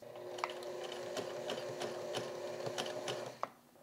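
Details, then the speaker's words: Sewing machine sewing black jeans: quick uneven needle clatter, about three stitches a second, with sharp catches when sewing in reverse, thread catching and ripping; bobbin flipped without fixing it. "See, it's still catching when I go in reverse. You hear that difference in sound?"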